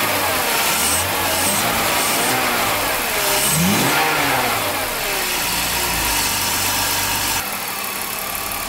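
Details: BMW 325ti inline-six after a no-start with the coils not yet reconnected: cranks, catches and settles to a steady idle with a brief rev, no knocks or misses, normal start.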